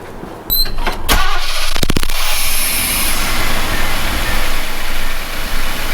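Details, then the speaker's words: Chevy truck restarted after valve lash adjustment and timing reset: cranks, catches quickly, then settles into a smooth, steady idle with no misses or ticking; running right. "at so we got a good idle or a good rep right now that's pretty good"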